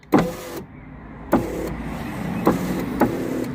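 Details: Daimler passenger window after repairing a wire the glass had been catching and tucking it away: motor whirs evenly between firm clunks at each end of travel, no scraping or catching; window runs normally.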